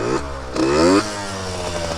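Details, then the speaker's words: Yamaha RX50 50cc two-stroke, six-speed, cruising about 35 mph, maybe fourth gear, mostly downhill. It revs then sags at the top; owner suspects it's flooding out up top. Rich mixture bogging at high rpm; plans to move the needle clip back to its original position. "running pretty good but it seems like it might be flooding itself out on the top and that always scares me"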